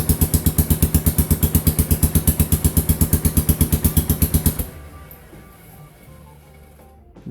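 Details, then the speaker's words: Yamaha Kodiak 450 ATV after fitting a third CDI unit, just started and still cold: even, heavy single-cylinder thumping about three beats a second for several seconds, then fading quiet; running normally, expected to be sweet once warmed up. "okay so once it's all warmed up and everything this is going to be sweet"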